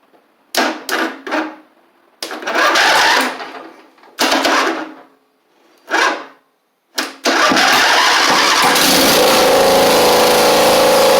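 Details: Husqvarna Z4822 zero-turn mower twin engine: several cranking bursts, then it catches and runs steadily but slightly unevenly without choke. Right cylinder seems not firing; owner suspects a right-side carb issue needing jet cleaning.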